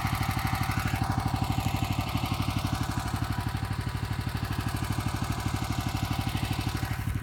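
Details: New Grillo 110 tractor idling with PTO disengaged; steady pulsing about three beats a second with rough grinding underneath from the transmission, probably a bad bearing, suspected.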